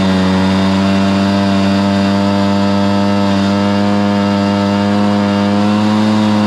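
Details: Stihl BR430 two-stroke blower after the bogging fix: carburetor cleaned, then the high-side carb limiter adjusted. A clean, steady high-pitched scream holds flat at full throttle without bogging, running right.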